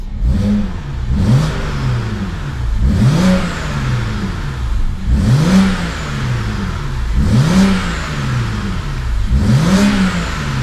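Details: BMW E90 335i N54, oil at temperature: five quick clean throttle blips rising and falling smoothly back to idle, no rattles or knocks; responsive, no weird noises.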